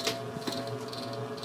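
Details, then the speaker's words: Antique Diehl ceiling fan, about 1920s, 40-cycle motor, run on high speed without blades: low electrical hum with irregular dry rattling clicks, fan underpowered; cause unknown, owner wonders if it is arcing. "running this without blades it sounded even worse by the way just putting that out there I don't know what that rattling noise is if it's arcing or what but I shutting it the hell down"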